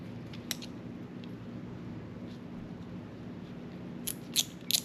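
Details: Shimano Chronarch C14 baitcasting reel after disassembly, cleaning and re-greasing service, with line being reeled in: a quiet, smooth gear whir with a few crisp clicks near the end. Normal reel operation.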